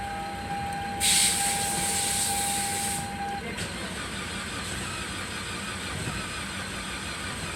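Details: Toyota Rush after a no-crank no-start fault was solved; after a short hiss the engine catches and settles into an even, steady idle with no misses or knocks, running normally now.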